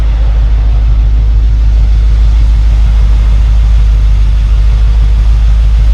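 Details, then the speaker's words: 1972 Mercedes-Benz 280SE 4.5 after new in-tank fuel filter, Bosch electric fuel pump, fuel lines and repaired tank ventilation: low smooth exhaust rumble at steady idle, no skipping, stumbles or smoke; engine idles evenly. "well it's idling nice and smoothly sounds very nice still listen to the exhaust"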